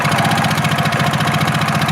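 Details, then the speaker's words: Engine with plenty of fuel but a fuse that keeps blowing runs with a steady, slightly lumpy beat while throttle is held, then dies when released; ground-circuit resistance being questioned, cause not yet found. "sounds like it's running, you know, and then if you let go, it dies out."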